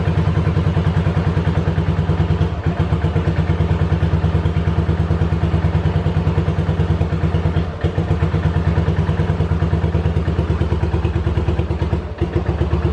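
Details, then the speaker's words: 1985 Yamaha Virago 750 V-twin after reassembly: lumpy, uneven thumping at about three beats a second with brief stumbles, close to cutting out; owner suspects bad ignition coils or shorting plug wires, unconfirmed. "so okay she doesn't seem to be running that good right now which is strange because the one cylinder we didn't touch"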